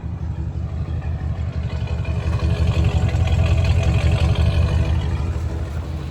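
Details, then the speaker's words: Chevy 454 big block in an OBS truck with new Bosch injectors and a JB Weld-repaired intake, check engine light on. Deep, lumpy, uneven V8 idle; not happy but better than before, and the owner says the timing is still off. "I guess like seven times a charm it's not real happy but it does sound a whole lot better than it"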